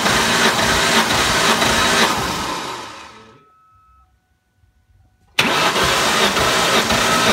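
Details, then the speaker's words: 2003 Ford Mustang Cobra (Terminator), about 140,000 miles, 8.5:1 compression, cranking during a compression test: even rhythm about three beats a second, no weak strokes; cylinder just shy of 150 psi, normal and healthy. "we'll crank it a few more times here so just shy of 150 which is pretty normal for these cobras"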